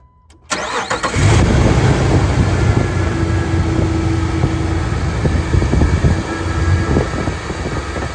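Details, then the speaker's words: Jeep engine starting and settling into a rough idle with a faint steady whine; owner suspects one of the belts, source unconfirmed, and plans to probe with a hose as a stethoscope. "Stupid Jeep's making horrible noises. Sounds like it's gotta be one of the belts."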